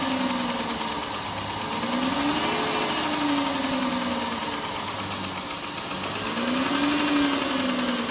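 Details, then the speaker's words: 2010 Chrysler Town and Country, hydrolocked, after reassembly with new intake manifold gaskets and plugs and coils reinstalled: steady idle with a soft hum drifting slightly, no knock or stumble. It runs well while smoking off the water and oil in the cylinders. "it runs good as a smoking see they can clear out all the water and oil that I've poured down in the cylinders"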